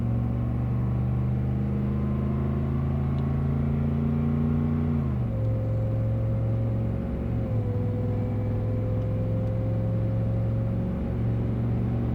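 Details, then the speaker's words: 1994 Chevy Blazer 6.5L turbo diesel, rebuilt after melted pistons, a gouged crankshaft and cracked heads, with a Fluidampr damper, full-pedal run to 70 mph: even drone rising with speed, a gear change near five seconds, then smooth pulling again. Healthy. "The beginning of this particular drive, it's a full pedal run, up to 70 miles an"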